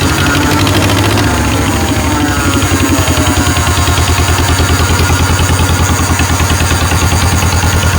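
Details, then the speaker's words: 1949 John Deere Model M two-cylinder tractor, hand-crank started cold at 27°F with thick oil, chuffing slowly and evenly at about 200 beats a minute; a healthy idle while it warms up. "there we go we'll go ahead and let it warm up for a little bit"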